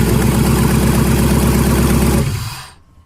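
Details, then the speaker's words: 1999 GMC Yukon with LS 5.3 V8 swap, first start, no exhaust system fitted; loud raw V8 idle with quick steady exhaust chop about three or four pulses a second, then shut down; normal idle, open exhaust. "So another short little video, because I did promise you guys next time you saw this Yukon it would be running. I didn't say driving, I said we would be able to turn it on, so we did."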